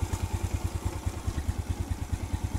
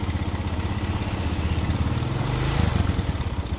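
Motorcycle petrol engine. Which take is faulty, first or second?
second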